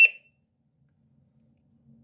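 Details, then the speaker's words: Smart Water Leak Alarm WiFi detector, base immersed in water: single short shrill high beep in quiet room as it detects water and triggers the Smart Life app; alarm judged loud enough only for a small room. "Donc le but, c'est que l'application se lance, parce que le bruit, c'est pas assez, enfin ça va si c'est dans une petite pièce"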